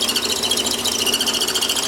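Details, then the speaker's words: Lathe drilling on a Warco toolpost grinder part: as the drill breaks through the back face it loses centring and deflects against the bore side wall, giving a high harsh pulsing uneven scraping rasp; progressive drills should clear it. "And you can hear the drill deflecting against the side wall. But as we go through with progressive drills, it should clear that."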